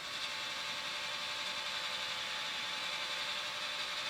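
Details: OmniBot 2000 serving tray motor, started by a switch pressed when the claw opens to rotate the tray: light, even high-pitched whir with no grinding or catching; tray motor and gears run smoothly.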